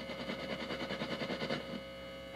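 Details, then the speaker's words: Loose guitar wiring leads plugged into an amp: pulsing buzzy hum and scratchy crackle come and go as the wires are rubbed and picked up, then a loud burst; triboelectric static noise from handled wires. "Uh, this is just if we rub it like this, even if we pick it up"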